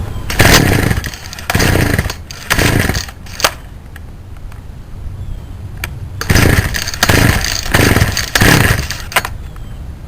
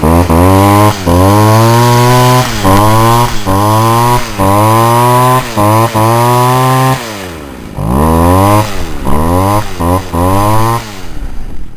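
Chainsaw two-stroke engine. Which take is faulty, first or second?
first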